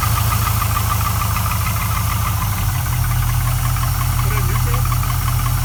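Low, uneven knock at idle, roughly two per second, under a steady rumble; a knock or slap whose source isn't clear yet.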